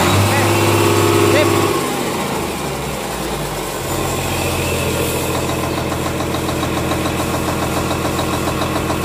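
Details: Komatsu S6D125 diesel test run after general overhaul (crankshaft, liners, pistons, conrods, bearings, pump renewed; turbo repaired, nozzles calibrated): steady, even beat with firm low rumble, no knocks or misses after settling; healthy.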